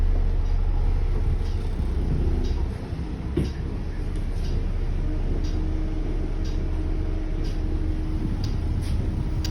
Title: Annoying Continuous Beeping Sound | Golden Tours Volvo B8L MCV EvoSeti 207 LF20AXH #harrypotter #bus